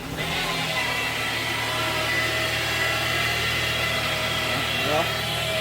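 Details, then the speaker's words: 2017 Ford Fusion Hybrid with the HF35 transmission, 103,000 miles, at startup: a steady high whine over the running noise that shifts pitch near the end. Diagnosed as a failed stator bearing; the transmission is to be replaced. "All right, so that's it. That is a failed stator bearing that you hear us talk about so many times, and this transmission is going to get replaced."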